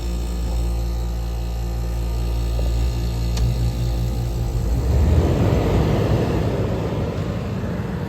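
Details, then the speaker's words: 1977 GE Superthrust window air conditioner, salvaged, switched on to cool: a steady low hum settles, then a fuller rushing whir as compressor and fan come up; normal compressor start. "we're going to fire up the compressor here get you focused on [Music] that and here we go with the"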